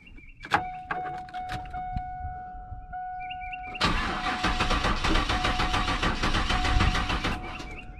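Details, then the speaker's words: EFI car ("the Bandit") after a fuel-rail pressure check at the test port. A warning chime, then steady cranking for several seconds with no firing; it cranks but won't start. The cause is unknown; the owner notes a spot he nicked with a sawzall. "And we still have a no sart situation here going on. What in the world is going on here?"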